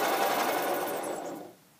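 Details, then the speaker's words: Rebuilt EZGO 295 golf cart engine with new motor, cranked with spark plugs out and generator belt removed: fast, harsh, loud rattling grind like a bearing; generator ruled out, owner suspects a bad bearing. "i hear a bearing noise to me and you can hear it when it's running as well"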